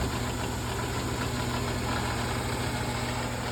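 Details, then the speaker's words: General 340 drill press with a rattle: after tightening two bolts and the top cover, a steady motor drone with a loose, uneven rattle still riding over it. Noise is reduced, and the bottom belt cover is suspected. "Get rid of a little bit more noise. Noises down a fair bit."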